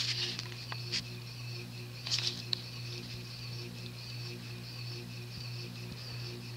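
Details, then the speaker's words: Union Hugger 52" ceiling fan, large cast-iron spinner motor, fitted with Casablanca cane blades for testing: steady hum with a cyclic pulsing buzz at startup. Owner suspects an off-kilter rotor or something rubbing inside the motor. "seems like the rotor is off kilter because it has the cylic buzz also seems like something is rubbing against the rotor inside the motor also a cyclic noise rather annoying one"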